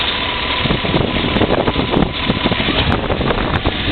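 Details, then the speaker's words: 1994 Silverado 1500 with new transmission, close-up at idle: rough engine with uneven knocks, seemingly from the right side, as oil pressure gauge drops toward zero and check-gauge light comes on; source unknown. "knock I don't know where sounds like from right here on the right side I'm not quite sure"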